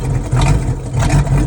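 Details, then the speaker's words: Boat V8 first run in 21 years, borrowed HEI distributor, choke off, fuel fed by water bottle, some smoke: deep steady rumble with slight uneven lope, hitting on all cylinders and sounding healthy; rough idle blamed on the makeshift fuel feed. "so as you can see in that last clip we finally have the boat running and it it runs pretty good actually it sounds healthy sounds good it sounds like it's hitting on all the cylinders"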